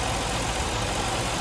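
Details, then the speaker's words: 1989 Ford Ranger 4WD, five-speed manual, at idle with the EGR valve connector unplugged: steady, even idle with no stumble or misfire, and running condition unchanged. Normal idle. "nothing happens no running condition has been changed"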